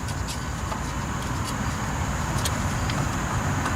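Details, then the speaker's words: 1996 Chevrolet S10 Blazer 4WD, front hub and ABS sensor replacement, wheel spun by hand: light scraping ticks with each turn as the brake rotor rubs the dust shield, which needs bending away. "you've got to take the upper now to ensure that this thing is not rubbing which it is you can hear it"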